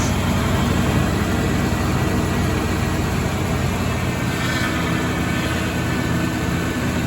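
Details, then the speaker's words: 1983 Cadillac Seville just after injector replacement, battery charged, first start, off its choke; steady even low rumble with no misses, stumbles or surges, not blowing heaps of smoke. Normal idle. "Oh, that's great. It's running. Nice. It's not blowing heaps of smoke."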